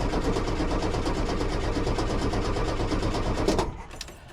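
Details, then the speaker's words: 1973 VW Super Beetle, previously ran badly then stopped: fast, even starter cranking with steady compression beats but never catches; battery confirmed good, tank has plenty of fuel, cause not yet found. "well the battery's good H well the issue is not the battery clearly but uh something's not quite catching"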